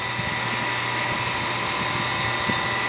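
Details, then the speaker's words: Centrifugal water pump that had overheated and sounded irregular, now running after fitting a correctly sized start capacitor instead of an oversized one: smooth, steady motor hum with even high hiss and no knocking; current down to about 2.3 A. "entonces voy a encenderla vamos a ver observen el sonido suave dinero no suena como sonaba"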